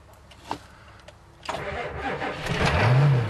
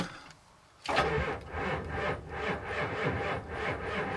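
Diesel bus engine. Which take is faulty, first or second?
second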